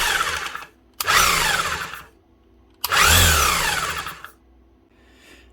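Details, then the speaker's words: Demolition hammer with oil dried out or leaked, gears still good, compression present: two bursts of motor whine spinning up and down with no impact blows; hammer mechanism not hammering. "She is getting compression, you can hear it. But it's not doing anything down this end."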